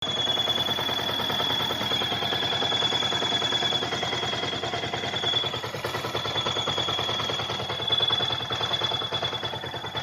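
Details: Yamaha R15 at idle: thin, steady high whistle over the fast-clattering small engine, from a worn water pump oil seal and bearing; fixed by replacing them.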